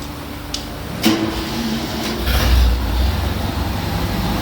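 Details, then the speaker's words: 1980 Ford MK1 XR2 with swapped 1.6 L engine and rebuilt 2-barrel Weber carb, after reattaching a fallen-off vacuum line under the intake: low steady drone swelling into a brief rev and settling, no stumble or hiss; normal running. "Yeah, it's running pretty good now."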